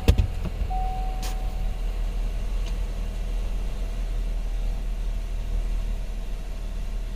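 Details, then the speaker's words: 2018 Chevrolet Equinox 1.5L with a new engine, previously a crank-no-start, now starting after a connector was refitted: low, even, steady idle hum with no misses, knocks or surging. It idles smoothly. "so that's done it's running so I hope you guys like this one this is interesting see you later"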